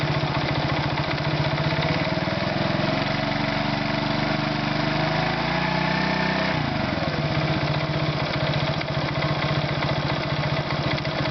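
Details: Irbis Virago 110 engine at idle: small single popping with a sharp tapping in the beat that rises and falls with a brief rev; engine knock of unknown origin.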